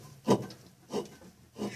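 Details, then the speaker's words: Electrolux washing machine making strange noise and not spinning, motor turned by hand: slow, dry rasping grind about every two-thirds of a second; motor not burnt, bearings failing from water leaking onto it. "se o motor não está queimado o problema desse motor aqui pessoal os rolamentos certo"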